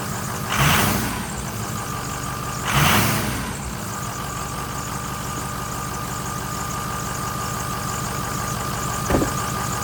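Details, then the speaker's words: 2006 Ford F350 6.0L Power Stroke diesel after a new Motorcraft fuel pump, a new sending unit and air purged from the fuel system: even, steady idle with no stumbling; sounds completely different and healthy, after having had no power before. "that sounds completely different that sounds good"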